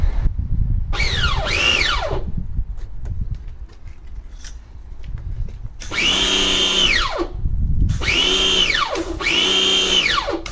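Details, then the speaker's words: Draper pressure washer after welding pinion back onto motor shaft: motor whines up and down in short bursts with uneven sagging pitch; weld failed, too shallow, pinion slipping on shaft. "Right. Okay. Set back again. The weld did not hold. Uh the weld didn't penetrate deep enough."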